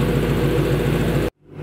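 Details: Lexus GS460 V8 just after replacing the spark plugs, which were badly worn: smooth, even low idle with a steady pulse and no misses or ticks; starts and runs clean with no warning lights.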